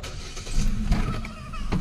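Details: 2014 Hyundai Accent after its ECU (computer box) was repaired; it previously cranked but would not start. A short low crank catches almost at once into a deep, steady run, with the check engine light on. It starts cleanly first try.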